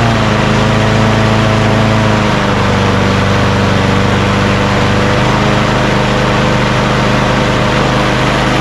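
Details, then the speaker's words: Craftsman push lawn mower after lowering the engine rpm, which was previously too high: steady, even drone that dips slightly in pitch then holds smooth at a sensible speed; normal running speed. "now that sounds much better before it was just too high"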